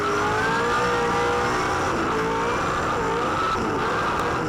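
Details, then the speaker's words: 2007 V8 Supercar at race start, Phillip Island: steady high howl with revs flaring and no drive; clutch slipping, possibly overheated or mechanical clutch failure. "you can hear that clutch slipping. There's no drive there whatsoever. That's a frustrating thing to be in. It could have either heated the clutch up or could have had a mechanical failure with the clutch there somewhere."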